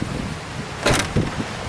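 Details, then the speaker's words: 2007 Toyota Sienna rear back door, tested after repairing a latch that had no response: short motor pull and firm clunk as the power latch draws the door shut, with wind rumbling outdoors. Normal latch closing. "Now, close the door. Okay, we can hear it. It tries to pull it shut."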